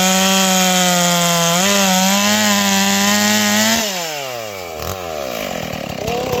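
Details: 461 chainsaw, freshly ported with Caber rings and a repaired spark plug hole, cutting a log: it screams at a high steady pitch, bogs slightly into the cut, recovers cleanly and winds down smoothly. Strong, healthy engine.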